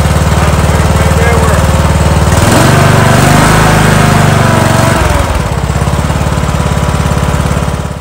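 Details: Kohler Courage 19HP on a Husqvarna lawn tractor that hunted and surged at idle, after carburetor service: a small engine chugs at a fairly even beat with a brief rise mid-clip, then settles back without hunting; a steady idle.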